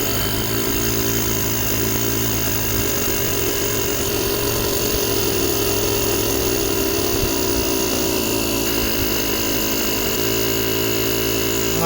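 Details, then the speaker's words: JomGand JQP2250 jump starter's built-in air compressor inflating a completely flat tyre; steady, even motor hum and pump chatter with no knocks or stumbles, normal compressor operation. "Let's see if it does anything. It's doing something. It's harder to squish."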